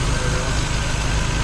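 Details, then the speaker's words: Triumph GT6 after new water pump and coolant refill, warming up to purge air bubbles: steady, even low rumble with no knocks, misses or squeals; normal idle. "we're gonna let her warm up make sure we get all the bubbles out of the system"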